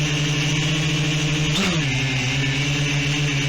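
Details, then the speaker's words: Quadcopter "Palantir 3" after re-flashing flight controller firmware to iNav 3.0: steady motor hum jumps briefly in pitch then settles lower as the flight computer engages altitude-hold mode; motor surge on altitude-hold engage, cause unknown to owner. "there it is and you hear the motors suddenly rev up as it goes into that mode i don't know why it does that"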